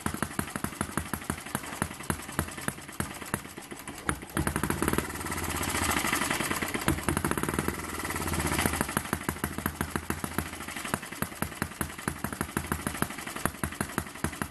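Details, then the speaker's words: Eachine ET8 horizontal four-stroke model engine, water-cooled, after final mod adding mass to smooth it; crisp evenly spaced ticking at steady rate, briefly loading up then settling; running steady with no dancing around. "He's running nice and steady now. No dancing around."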